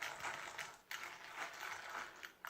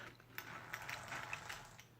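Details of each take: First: Dry metallic ratcheting chatter from an A959B RC car's geartrain, newly converted from plastic to all-metal gears (plastic casing and diff case kept), spun up and down while held in hand; the new metal gears are not yet bedded in and still need a high-speed run. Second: A959B RC car with all-metal gears but the original plastic casing and diff case, gears broken in only by hand-held running. It gives a light, quiet, settled whir with soft ticks. Noise comes from the spur and pinion, diffs inaudible: normal gear mesh.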